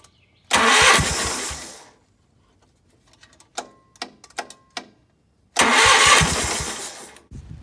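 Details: Gravely 8179-KT tractor during engine swap, engine full of oil: two steady fast cranking bursts about 1.5 seconds each with a pause; never catches; owner suspects the carburetor needs cleaning.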